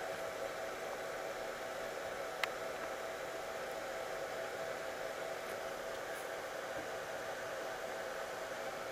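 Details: Cellpro PowerLab 8 discharging an EV conversion lithium cell, wires and terminals getting hot: quiet, steady whir holding one speed without rattles or pulsing, the charger's cooling fan running normally.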